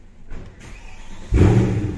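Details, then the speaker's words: Mercedes C63 AMG starting on a newly copied, coded spare key: the steering lock retracts, the dash shows no error, then the engine cranks, catches at once and settles into a smooth, even idle; healthy start. "Vou colocar aqui a trava vai escolher o recolheu acendemos o painel nenhuma mensagem de erro vamos dar partida"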